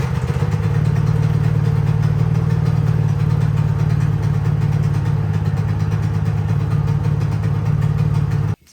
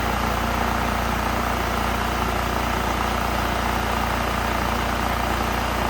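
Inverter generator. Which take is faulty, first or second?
first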